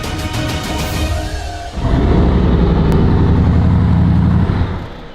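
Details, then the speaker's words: Bugatti after a new fuel pump control module was installed (earlier fault: fuel pump control module miscommunication; it ran with the module unplugged): ticking, then the engine catches, roars about three seconds and dies; start-and-stall, still unresolved. "But with it plugged in, the car just immediately cuts out."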